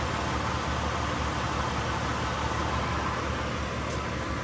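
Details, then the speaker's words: 2003 Honda Odyssey 3.5 V6, 262,386 miles, bad transmission, salvage yard part-out: steady, even low idle hum with no knocks, ticks or misses; motor runs fine, normal idle. "Motor runs out fine."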